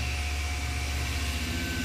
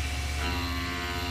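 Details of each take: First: Tormach CNC mill clearing a 1.5-inch aluminum pocket with a single-insert hog shear plunging wide at 20 in/min feed: steady cutting hum and whine whose pitch sags slightly as the spindle bogs under the heavy cut. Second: Tormach CNC mill cutting aluminum with a single-insert tool, plunging with pre-drill, feed backed off to 20 inches per minute: steady even cutting roar with constant spindle tone, bogging down slightly but no chatter; normal cut.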